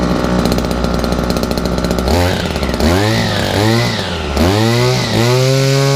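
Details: Owner's two-stroke strimmer after sitting all winter, primed and choked, cold frosty day: buzzes steadily, revs rise and fall cleanly with throttle blips, no misfire or hesitation; running fine.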